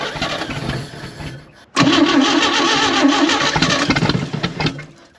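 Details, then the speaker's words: Chevy Bel Air six that sat about 45 years, timing possibly off, running without exhaust or cooling system: brief crank, then it fires and runs loud and rough but with no knocking. "It's not knocking. That's good signs."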